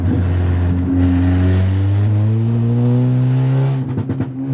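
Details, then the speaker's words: Audi A3 with Stage 2 tune and CTS downpipe, heard accelerating low in fourth gear: revs climb with a heavy, low booming drone inside the car. The cause is exhaust leaking from a disconnected midpipe and loose clamps. "the pops are sick right but that drone is so bad from the inside of the car man"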